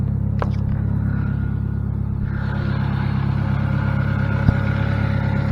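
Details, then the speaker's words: 2006 Saturn Ion Redline, supercharged, 116,602 miles: loud, deep, steady idle with an even puffing chuff about three times a second under the rumble from a major exhaust leak. "It does have a major exhaust leak too, so not hear me once this gets going."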